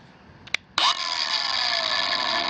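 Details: Kobalt 5-in cordless angle grinder KAG 424B-03 on new Ultimate Output battery KXB 424-03: click, motor whines up, then pitch sags and it cuts out though switch still held; battery incompatible per Kobalt support.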